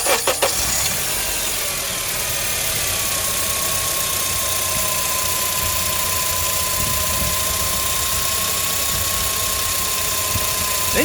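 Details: 2004-08 Acura TSX at idle after pump O-ring replacement: only a faint steady high pump whine, very small if at all, far less than before; fluid bubbling reduced; fluid flush planned.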